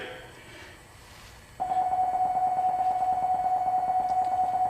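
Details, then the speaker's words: 2007 GMC Yukon after replacing a rear parking sensor; quiet start then a steady, unbroken mid-pitch tone as the sensors detect a close object; parking assist now working normally. "I guess I don't need to go through the test as you can hear it's saying time to cross to something so that fixed it"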